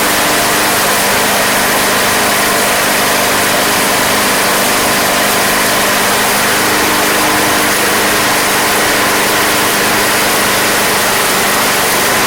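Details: Craftsman Platinum lawn mower, Briggs 190cc engine, running after a no-start fix with a replacement carburetor: even, steady drone at one speed, no surging, popping or misses; gas was seen from the crankcase vent, yet it runs healthy.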